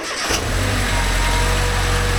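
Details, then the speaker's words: 2009 Mercedes B-Class B150 with 221,000 km, after engine work and a snapped belt: engine idles with a thin steady whine, traced to the idler pulley/roller, so the pulley assembly will be replaced. "And there's no noise. Oh yes, there is noise. So we will replace the pulley assembly and up he goes again."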